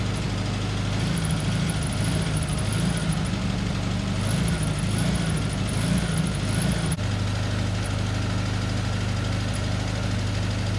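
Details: 1974 VW Beetle (Sunbug) air-cooled flat-four, first run after 30+ years in storage: steady, even low rumble with a regular beat and no misses or knocks; idles cleanly.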